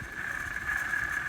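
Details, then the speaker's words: LG air conditioner old fan/blower motor, removed for replacement and compared with new one; steady, high, slightly wavering whine with rough edge underneath; worn fan motor bearings. "and tell that the bearings are bad compared to the new one so we know that's it"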